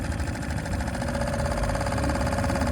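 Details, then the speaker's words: Suzuki 2.5 HP outboard started with choke out and throttle over, choke then pushed in; steady even hum that lifts slightly with a small throttle turn and settles back, no knocks or misses; normal idle and throttle response. "you also hear the rpm start to settle down as that drops you can now push the choke in it's idling very nicely we can give a small turn of the throttle"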